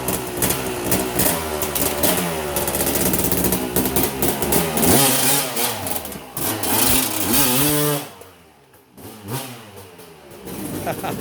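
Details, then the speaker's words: Vintage two-stroke dirt bike being started and revved: crackly, ringing revs climb and fall cleanly, drop near idle then pick back up crisply; healthy, rowdy-sounding engine. "That bike sounds rowdy too."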